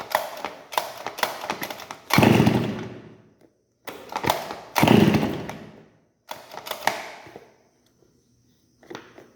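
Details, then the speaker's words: Brush cutter (roçadeira), short throttle bursts: loud raspy unmuffled crackle as exhaust escapes at the muffler joint because the muffler came loose. "ó tá vendo que é um barulho Fora do Normal né E que é um barulho que o escapamento tá solto então o barulho ele não vai pro escapamento aqui e acaba soltando na junção"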